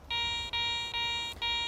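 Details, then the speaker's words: Garrett ACE 400 metal detector (10 kHz, 8.5x11" concentric coil): clear high-pitched tone repeating about every half second as the coil sweeps over a coin on the ground; accepted coin target, target ID reads 85-86. "so I've got a target on the ground here we'll go over this coin and you'll see what I'm talking about"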